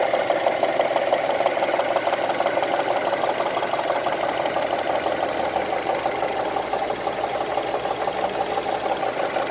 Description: This is how honda crv 2002 engine ticking sounds like. Currently I use 10W40 engine oil.